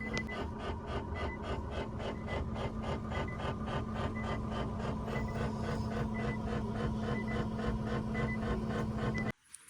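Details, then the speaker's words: 2017 Infiniti Q50 lifted, brakes off, rear wheels spinning free: steady rhythmic rub about three to four per second over a constant hum; likely the parking brake cable touching a cover near the spinning axle/differential, suspected. "the rear wheels are just spinning the air we're trying to figure out what that sound actually is right"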